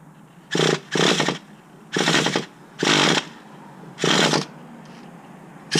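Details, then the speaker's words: 2006 Traxxas Nitro 4-Tec 3.3 RC engine, first start after rebuild: brief high screams on light throttle, each cutting out to near silence; engine stalls; owner unsure, suspects idle setting or air-fuel mixture. "So I was just giving it a bit of gas. You can see it just cuts out like that on me."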